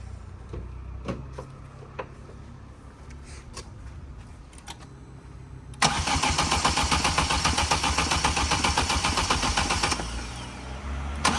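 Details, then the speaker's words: Vauxhall Corsa VXR with a freshly swapped replacement engine (head gasket had gone on the old one): quiet clicks, then steady cranking at about four beats a second that never fires; a crank-no-start later cured by replacing the whole wiring loom. "Alright, this is the next day, and we had to change the whole wiring loom because it wouldn't start."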